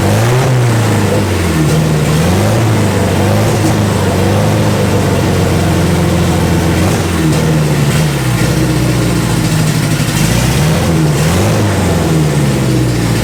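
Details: Boosted Honda Integra's first fire on fuel sitting a couple of years, with a known vacuum leak being blocked off: revs rise and fall unevenly with a lumpy, hunting note. Running rough.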